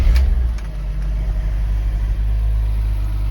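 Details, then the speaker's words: Long-neglected BMW Z3 M, running again after being brought back: steady, deep, even engine note with no knocks or misses; idling smoothly. Normal idle. "But chuffed the bits that it's running now. Really pleased."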